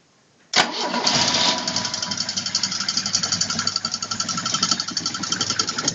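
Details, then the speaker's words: VAZ 21102 at idle: a quick tapping knock about four times a second from the accessory belt drive. It disappears when the belt is removed from the crankshaft and persists despite two new water pumps, two alternators and a new fan, now removed. "стучит значит если снять ремень с коленвала то стук пропадает поменяли уже две помпы два генератора стук всё тот же"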